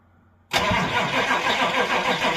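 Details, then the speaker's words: Old Chevy C20 crew cab diesel, glow plugs cycled before cranking, revival after sitting: starter bites hard then heavy cranking beat sags and labours within a couple of seconds; slow cranking from low batteries. "oh crank good for about a second but yeah we definitely uh definitely are low on juice"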